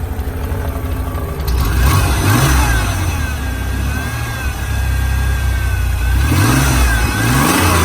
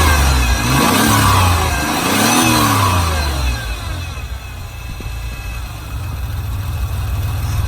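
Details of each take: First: Ford 3.0 V6 from a wrecked flex-fuel 2000 Ranger: idle hunts and surges with a lumpy, uneven beat; owner suspects broken vacuum lines letting it suck air. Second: Ford Ranger 3.0 V6, 5-speed, from a wrecked truck (2000 flex-fuel), started by jumping the starter solenoid: fires with throttle blips, settles to a lumpy idle, likely sucking air through broken vacuum lines; no smoke, ticking or knocking.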